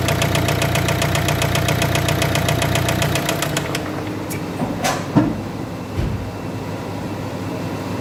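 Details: Warm engine runs with a fast, even metallic knock, then cuts off: after overheating, coolant entered the combustion chamber, damaging the head gasket and connecting rod bearings.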